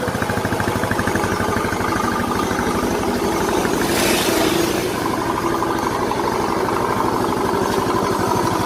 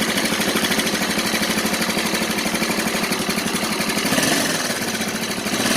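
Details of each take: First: Yamaha Mio Soul scooter, previously very noisy rough engine, running after engine reassembly: steady, even idle with smooth beat, no tapping or rattle; top end sounds healthy; normal idle. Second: Yamaha Mio Soul scooter idling very noisily, fast harsh clatter over a busy top end; engine also burns oil and smokes, cause not yet found before teardown.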